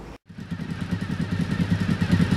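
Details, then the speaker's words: 1991 Honda VFR750F RC36 V4 after tightening a loose exhaust bolt suspected of blowing: starts and settles into an even, steady low idle with no puffing or ticking; sounds better. "Right, now that seems to sound a little better now. What I did notice was one of the bolts on this side was loose up here, and I think there was probably a little bit of blowing coming out of there,"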